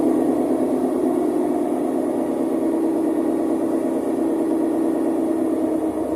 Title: Electrolux professional W365H Exacta control - Very unbalanced spin with bad bearings!